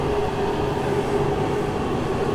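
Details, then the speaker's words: Masterforce 20V 60,000 BTU portable forced-air propane heater on full power in a garage: loud, steady roar of fan and burner with constant low hum, no surging or sputter; running properly on high. "let's crank it up now we're full blown heat that thing is putting out a lot of heat it embarrasses my little electric heater that i used to have it's a little loud at full blow"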